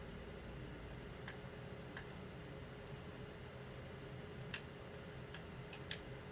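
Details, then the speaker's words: Xbox Series X running Assassin's Creed Valhalla during a noise test: sporadic sharp ticks and clicks over a steady low whir as the optical drive seeks; prominent but normal, and gone once the game is installed. "any sort of disk reads on a series x seem to be very prominent but again not much of an issue with modern consoles once the game is fully installed"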